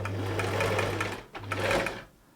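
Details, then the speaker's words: Thrift-store Singer 328P sewing machine at first power-up before oiling: two short runs with an even whirr and steady needle clatter, stopping cleanly; motor strong, drive belt fine; normal running. "Nice and strong. Motor's strong. Okay, drive belt seems fine."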